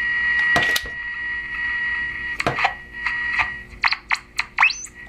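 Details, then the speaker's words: Dead tube AM radio after safe power-up, with another AM radio held nearby: a steady high whistle through the second set amid tuning clicks shows the dead radio's local oscillator is working. "hear that that tells me my local oscillator is working"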